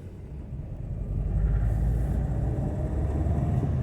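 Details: 2004 Toyota Echo pulling away under load: low, uneven rumble with an irregular stumble, engine shaking badly, code P0301 cylinder 1 misfire; faulty ignition coil suspected, coils being swapped to see if the misfire moves to cylinder 2.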